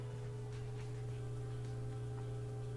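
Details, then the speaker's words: Whirlpool direct drive washer with a won't-drain complaint, drain and spin cycle: steady low hum of the drain pump running with an empty tub, no water sloshing; drain operating normally. "I can hear the drain's active, but there's no water in there, so you don't really hear it sloshing around."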